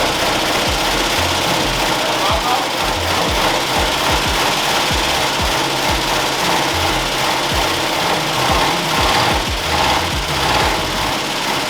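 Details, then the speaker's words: 1965 Ford Mustang V8 first started after about 15 years sitting in a field, no gauges: fast, uneven clicking over a rough, barely running engine, loudest up top; valvetrain tick from bled-down hydraulic lifters, a couple not pumping back up. "that's all valve train that is 100% all valve train so what we're trying to do is get the lifters to come back but it's not seeming like a couple of them did for sure a couple of them are not happy but it does run"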